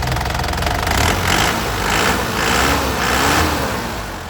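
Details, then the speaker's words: 2010 Isuzu Panther LS turbo diesel, started on first crank: steady, even, crisp idle clatter with no ticking or thumping, engine stable and healthy. "ini kalau didengar mesinnya Lur suaranya renyah ya kita dapat dan tidak ada suara aneh-aneh seperti suara tek tek tek tekteek bubuk-gbuk enggak ada ya tandanya mesinnya ini sehat"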